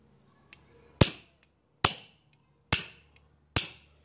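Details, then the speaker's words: Firing valve tested on a small cylinder with a spit bubble check showing no leak: four sharp, clean discharge pops a little under a second apart, with quick decay and no hiss afterward. "Já era, ó. Vaza mais nada. Eu posso disparar aqui, ó. Vocês vão ver, ó. Ó. Viu? Ó. Nenhuma bolha, ó."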